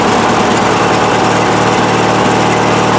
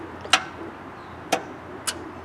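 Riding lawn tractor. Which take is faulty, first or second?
second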